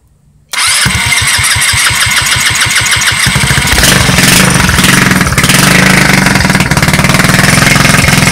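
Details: Street-legal go kart's first start after sitting 5 years, with a new carburetor and a temporary push-mower fuel tank; cranks a few turns, catches straight away and settles into a steady, even idle with a gentle rev; normal start and idle.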